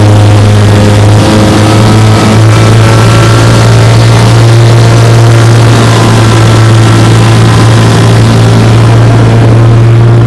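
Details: 1958 Johnson 3 HP JW14 two-stroke outboard, fully restored with a rebuilt magneto and lower unit, warm start, pushing a boat about 5 mph: a loud, steady, even low drone with no misses or surges, running clean and healthy.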